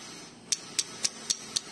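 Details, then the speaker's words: Honda Megapro crankshaft under repair: six sharp metallic clacks, about four a second, as the connecting rod is rocked on its crankpin; a new rod would not knock like this, so there is big-end play. "tapi kalau dicek Coba kita cek stangnya masih bunyi kalau stang baru itu tidak seperti ini"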